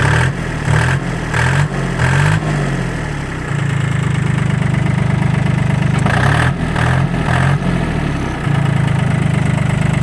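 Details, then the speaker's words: Kubota L1-18 compact tractor diesel, 877 engine hours: even idle with several quick throttle blips rising and settling smoothly, no knocks or misses. Normal idle and revving. "Обороты поднимает и опускает очень плавно."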